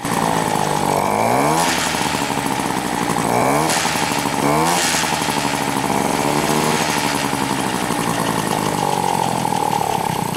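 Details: Moped two-stroke engine, accelerates fine but won't hold idle even with choke: raspy buzz kept alive by throttle blips every second or two, never settling; owner suggests injection pump, cause unconfirmed.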